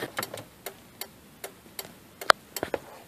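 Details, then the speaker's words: 2000-2004 Kia Spectra, hazards switched on: dry relay clicks at an uneven, faltering pace, flashing a few times then stopping; faulty flasher switch. "Turn on the hazard. Not working though? Not working at all. I can hear it clicking, but it's not doing anything."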